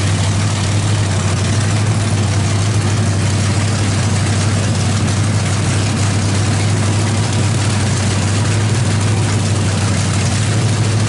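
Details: 350 small-block with Thumper cam, open headers, valve adjustment while running: loud even deep idle, steady beat, no ticking or knocking; sounds healthy, timing may need slight adjustment.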